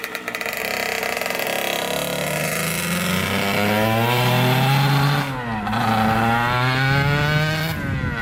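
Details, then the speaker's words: 1989 Kawasaki KX80 big bore after pilot jet changes and a spark plug swap, on a test ride: a crisp two-stroke note climbs and falls cleanly through the revs with no bogging or sputter. The engine runs healthy. "took it for a top speed run and went through all the gears on it it was really super crispy"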